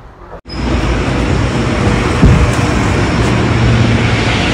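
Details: 2016 Honda Vezel hybrid on the road after clearing P0300/P0301 misfire codes, carbon cleaning and service, road-tested 15–20 km: steady even low rumble with no stumbles or jerks.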